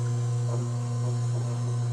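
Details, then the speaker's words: Frigidaire washing machine that won't drain, on the spin cycle: the drain pump gives a loud steady low mains-pitch hum with no pumping or water sounds; the pump gets about the right power (120 V, ~1.2 A), so the pump is suspected. "Well, looks like it's getting about the right power. So, pretty sure it's the pump."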